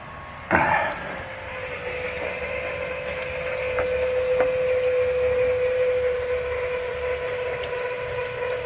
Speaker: we're test starting our 96 f-350 7.3 liter Powerstroke diesel after electronic fuel conversion can already hear the fuel pump pumping